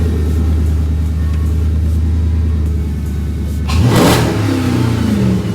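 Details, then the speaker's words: 2006 Dodge Charger SRT8 6.1L HEMI V8, just started after new spark plugs (gap 0.05), the first change since purchase. Deep, even idle, then a clean rev blip that settles smoothly; runs noticeably better than before. "Seems to be running like quite a bit better. Wow."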